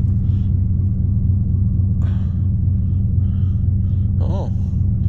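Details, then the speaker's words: 1992 Buick Roadmaster, TBI 350 Chevy V8, 169,000 miles, started after sitting months in snow at -25 nights, needed battery swap: deep steady V8 burble at idle, even and unbroken with a few faint clicks, alternator charging; normal idle. "whew oh yeah give me that tbi rumble see what's going on oh she's charging"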